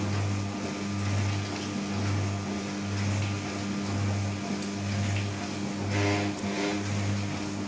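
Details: New Candy Trio 9501/1X running loudly: a deep low hum swelling and dropping about once a second with buzzy resonance over it; loud humming resonance, cause not pinned down.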